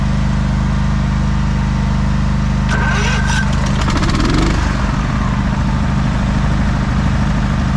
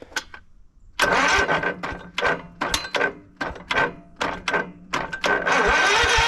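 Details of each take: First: 1989 Craftsman riding mower with Kohler engine, just jump-started after sitting for months: steady, even low drone with no misses or knocks, running normally, though it tends to stall when the throttle is raised and may need tuning. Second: 1989 Craftsman riding mower, cold, choke on, on a jump pack, gives repeated starter cranking bursts and never catches. Crank-no-start because the fuel shut-off valve was closed.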